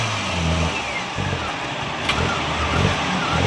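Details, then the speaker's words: Suzuki Alto VXR carbureted petrol car, won't exceed 100 speed and stalls: throttle blips flat and labored, revs surge unevenly and won't climb; engine bogging on acceleration, fuel and pump pressure and double-venturi carburetor to be checked. "Start करें। ये देखें दोस्तों, ये बिल्कुल रेस नहीं ले रही गाड़ी।"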